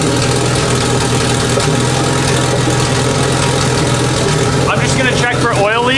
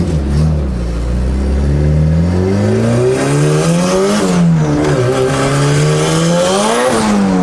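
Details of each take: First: Big-turbo Honda Civic on jack stands, first run after reinstalling turbo and freshly painted exhaust: steady even idle, smooth low drone, no ticks, puffs or rasps from the manifold; sounds healthy. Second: Big-turbo Honda Civic under boost after an exhaust leak fix: revs climb hard, then the engine abruptly cuts and drops several times; owner unsure whether it over-boosted, ran lean or ran too rich, tune to be checked.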